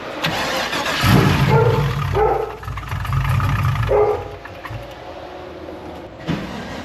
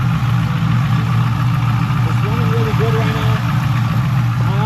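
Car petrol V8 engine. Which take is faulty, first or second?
first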